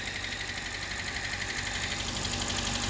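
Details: 2017 Hyundai Elantra, 129,000 miles, after ignition coil replacement for misfire codes P0301–P0304 and rough shaking idle (engine had ingested flood water): even, steady idle with smooth regular beat, no stumble or shake, running on all cylinders.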